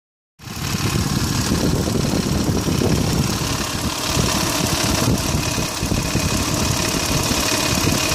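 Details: 2001 Mitsubishi Montero Sport 3.0L 4WD automatic, 225,000 miles, cold start idle, recorded in engine bay: uneven clatter from slack timing belt slapping; tensioner pulley left disconnected after water pump job; noise fades when fully warm.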